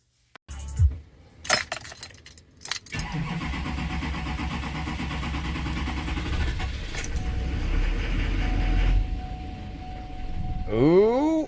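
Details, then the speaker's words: Chevy Duramax diesel after fuel rail pressure sensor replacement, started only after repeated priming: catches after clatter, then runs lumpy and drops to bare minimum rpm; suspected air in fuel or suction/vacuum leak. "it's running but it's running bad so rich is pumping the primer on the fuel filter and it's bringing the engine Al life so either we've got a lot of air or there's like a a suction leak or a vacuum leak somewhere"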